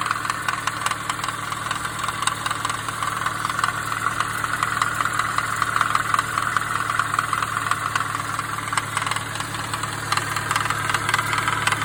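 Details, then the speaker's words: Idling 2017 Subaru BRZ at 43k miles with a fast, light knocking rattle from three failed pulley bearings on the belt tensioner and idler pulleys at the front of the longitudinal engine. "that sound you just heard was three of my pulley bearings that have failed"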